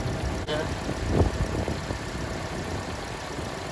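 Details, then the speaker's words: 2011–2016 Hyundai Elantra after alternator replacement, first start: belt squeaked briefly, then low, steady idle with even hum and no squeal or whine; alternator charging about 14 V. "Alright, so let's start this guy up, and then once we start it up, alright, the belt squeaked a little bit, but okay now."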